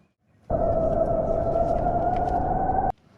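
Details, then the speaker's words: Mistral inflatable SUP paddle board: a loud steady squeal, rising slightly in pitch, from air escaping the inner bladder at a leak before patching. "เราได้ยินเสียงดังมากมันเป็นการรั่วไหลของอากาศ"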